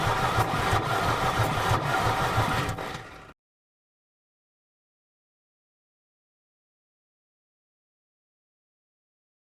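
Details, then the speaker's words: Mercedes 300D diesel, sat in a field three years with water in the fuel system, cranks evenly for seconds with no firing at all; no start, suspected from water in the fuel. "I guess it's not firing it's not firing whatsoever no sign of it so maybe it is like unhappy about the water in the there"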